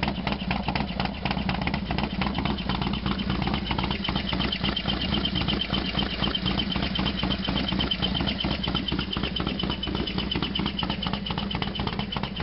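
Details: Harley FXDX completely cold start, not run since yesterday: V-twin idling with loose, uneven lumpy beat and clattery mechanical rattle over the exhaust; loud noise at cold idle, source unclear.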